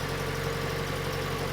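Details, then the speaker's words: Datsun 510 with twin SU carbs just fixed (previously leaking fuel out the top onto the hot exhaust), started on a jump pack: low, steady, even idle with no knocks, misses or hunting; sounds healthy. "Sounds good. Sounds very, very good."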